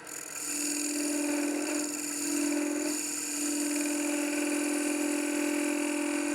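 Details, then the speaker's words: Woodturning a hollow sphere on the lathe: with the tool's edge closed down during the cut, a harsh buzzing chatter as the cutter's bevel bangs on the spinning wood. "If I close it back down, try to make the cut, you hear it, it's banging the bevel."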